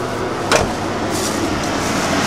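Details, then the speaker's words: 1989 Ford F-150 4x4, 5.0 V8, 5-speed manual, with twin-intake-hose upper manifold, replaced alternator and new timing chain, warming after a cold start: a low, quiet, even idle with a soft steady rumble and no ticking or knocking. Healthy. "But as you can hear, it's actually pretty quiet."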